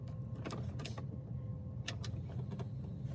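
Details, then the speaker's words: Van diesel heater, failing again after a patch fix: low hum with a few short whirring sounds as the vents change, but no steady fan rush; blower not running, owner suspects the blower motor is at end of life. "But the fan, again, is not... I don't know what to say. There are no words. This is, it's gotta be the motor then, right? It's gotta be that blower."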